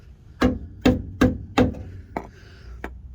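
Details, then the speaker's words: Hammer taps on the frame rail of a 2005 Jeep Wrangler Unlimited LJ give a sharp metallic ping with no dull thud, so this section of frame metal is solid; rusted-through metal would sound like pounding sand. "that sharp metallic tapping sound or pinging sound is what you want you want it to really sound solid"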